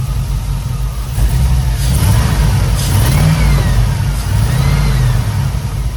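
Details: Chevrolet C10 squarebody V8 on test drive after injector O-ring reinstall and electrical checks: deep V8 pulling under load with uneven stumble in the beat; misfire still present.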